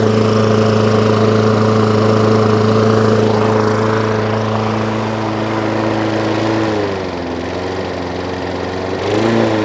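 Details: Hayter Ranger 53 rotary mower after bending the throttle spring clip forward: steady, even high-revving drone at full throttle without hunting, dips briefly and recovers; revs now up where they should be.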